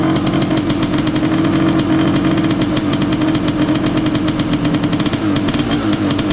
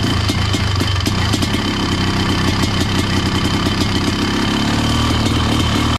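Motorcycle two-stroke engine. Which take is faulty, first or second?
first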